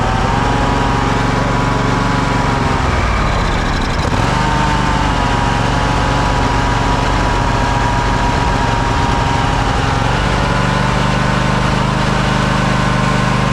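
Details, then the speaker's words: Craftsman DYS4500 riding mower, 26 hp Craftsman Courage engine, revived after sitting over a year; steady even engine note with one brief dip before settling; smoking a little but runs well; normal running, needs new fuel cap and fuel line. "He's smoking a little bit. But hey, she runs pretty good."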